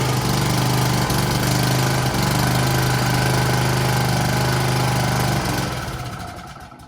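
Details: Honda-powered Husqvarna self-propelled push mower, single-cylinder, after carburetor cleaning (previously started but wouldn't stay running): steady, even drone at constant speed, no misses or knocks, clean wind-down at shutoff; normal running.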